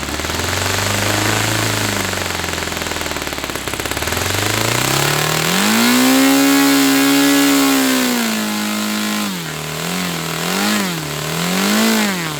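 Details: Saito FA-300T twin-cylinder glow engine, glow driver off, needle set 2.5 turns out, with a sticky throttle linkage. A strong, even buzz climbs and falls cleanly as the throttle swings, with no misses or stumbles. Both cylinders are pulling: normal running.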